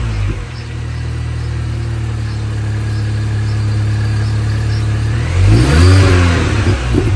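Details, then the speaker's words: 2005 R53 Mini Cooper S (supercharged) with lift-off noise and power loss, after timing chain, supercharger service, intake gaskets and catalytic converter removal: smooth revs, then wavering warbling whoosh falling with revs on lift-off; noise persists, cause unknown. "still doing it so there's now all the intake gaskets and everything have been changed the timing's been changed the cat's been taken out of the system"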